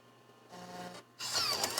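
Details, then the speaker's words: Mac floppy drive, mechanism freshly lubricated: a brief smooth whir, then a soft mechanical rush with no grinding, clicking or strain. The mechanism moves freely; normal floppy drive operation. "there we go because i've lubricated everything the whole mechanism really smooth right now it's minimal stress well minimal less stress on that gear"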